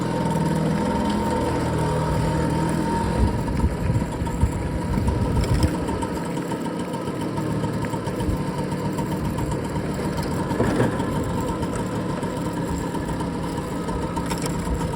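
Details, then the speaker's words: BSA Ariel 3 (K2) two-stroke moped on a test run, checking suspected fuel starvation after carb cleaning, a new fuel line and a relined tank. Steady buzz with a constant drone, no stumbling or bogging, though it sometimes bogs after tickover; first test good. "Right, handbrake off. Get the reverse. does sometimes bog a bit after you've gone tick over."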